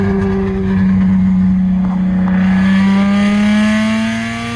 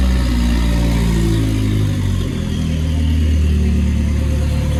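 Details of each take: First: Lexus SC300 with a broken exhaust, rear section missing after welded pieces sagged when hot: loud raspy drone climbing steadily in pitch with revs during a pull, nothing muffling it. Straight-pipe exhaust. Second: Nissan S14 with a loud, raspy exhaust dropping from a rev to a steady, even idle without stumbling, after the fuel pump was checked for priming; the earlier idle problem is solved and the idle is normal.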